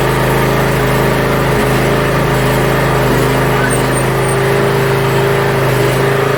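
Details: Yard Machines (MTD) budget 42-inch riding mower after new starter install and safety switches reconnected: steady, even engine drone with smooth low rumble, no misses or knocks; functions checked, everything working properly.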